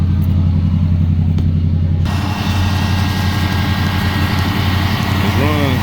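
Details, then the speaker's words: Car with factory engine, finished daily-driver project, gauges still warming up: smooth steady idle hum with even beat, no ticking or stumbling; oil pressure good; runs like new; normal idle. "It runs so good that it feels like it's brand new, man. The engine, it runs really nice."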